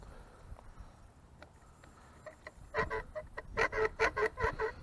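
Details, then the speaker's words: Soyee GPTOYS 1:10 scale 4WD RC truck driven over rough ground. Loud honking squeaks about two per second pulse as it bounces; the rear shocks and slightly the front ones are screeching, possibly from water, though this is not confirmed. "sounds like the shocks are screeching the rear shocks I don't know why they'd be screeching like that front ones are screeching a little bit so that's what that sounds the rear shocks are screeching still working"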